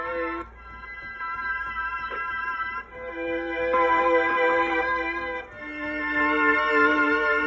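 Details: 1979 Roland RS-09 string synth with intermittent crackle, after replacing the output-board HA1457 chip: sustained chords come through clean and steady with no crackle or popping between notes; output stage healthy.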